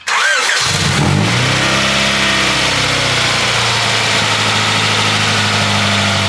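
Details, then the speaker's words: Honda Prelude H23A1 after timing belt replacement, valve lash adjustment and ignition timing set: catches quickly, settles into a smooth, steady idle, even tone, no ticking; sounds healthy. "so let me start it on up should sound a lot better with those tighter Valves and the timing set on the engine"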